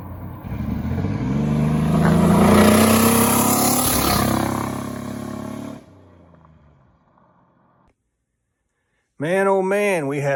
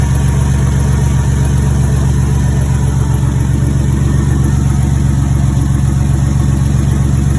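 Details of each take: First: Turbocharged 4.3L 2001 GMC Sonoma on hard throttle pulls, custom turbo kit; a spark plug or plug wire popped off, likely leaving it running on five cylinders: rough, uneven beat under exhaust roar — misfire under acceleration. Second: Turbocharged 4.3L V6 in a GMC S10 (Psyclone-style build), just fired up at idle: deep, even pulse with steady firing, no knocks or misses; sounds healthy and rumbles like a V8 before warm-up.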